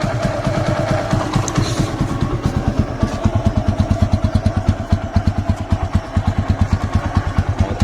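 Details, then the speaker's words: TVS Apache RTR motorcycle after a workshop service, idling around 1000 rpm following a cold start: steady, even exhaust thump with no skips, dips or mechanical clatter, engine quiet; normal idle. "Engine की आवाज सुनिए कोई आवाज ही नहीं है engine"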